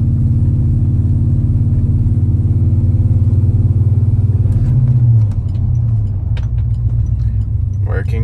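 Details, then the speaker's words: Truck rear differential after rebuild with new gear set, warmed up in forward and reverse, heard on test drive from inside the cab: steady low drivetrain rumble, no gear whine under load; rear end quiet. "so far really nice and quiet i promise y'all guys if you've ever heard a rear-end wine you know what we're listening for and you'd be able to hear it inside the camera in the vehicle"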